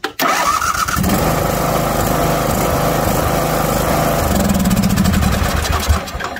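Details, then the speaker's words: Craftsman LT1500 riding mower, Briggs engine (possibly 17 hp) with worn compression release, after fitting a Ford automotive starter solenoid: brief crank, catches at once, strong even run without stumbling; normal start. "doesn't that sound like a Ford firing up"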